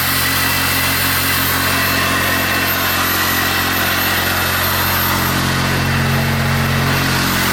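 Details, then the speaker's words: Engine with the airbox still off starts and settles into a steady even idle with a smooth low hum, no knocks or misses; normal idle, though the gearbox then fails to select a gear. "so yeah you can see it fires up perfectly well"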